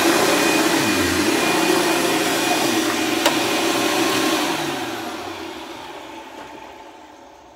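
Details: Dirt Devil Ultra Vision Turbo vacuum during a shredded-paper test: rough rushing whir with wavering tones drifting down as it spins off; abnormal running noise, owner says it needs a new belt.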